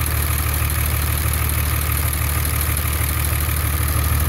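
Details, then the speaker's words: 24-valve Cummins diesel, about 330,000 km, cold start at idle with valve cover off, right after a valve lash adjustment for a developing tick; steady, even low clatter, no stray ticking, considerably quieter, normal idle. "well it's considerably quieter wow I can already notice that sounds great actually"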